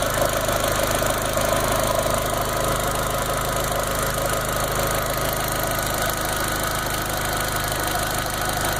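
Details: Golf GTI 1.8T petrol turbo idling during a Seafoam treatment: light, loosely regular tick from an exhaust leak at the turbo-to-manifold connection.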